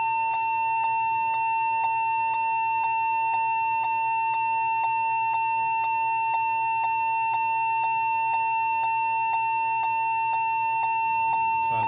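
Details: Lenovo G40-80 (80KY) laptop at startup gives a steady high beep about twice a second over faint electrical hiss. The technician suspects a keyboard or memory problem.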